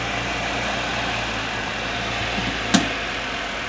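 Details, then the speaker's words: Portable washer-dryer spinner dryer after repairing spinner motor accessed through lower back door: steady, even whirr with constant hum, no knocking or scraping, then a single sharp tap; spinning properly now. "rotation so it's working good now"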